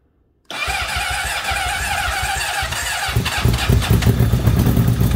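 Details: Honda CBR600RR (2003–04 type, no big muffler box, two small cats) project bike on its first start after repair, with fresh fuel and the battery reconnected. It catches after a brief crank into a loud, raspy, uneven open-pipe idle, then revs harder; it starts and runs fine.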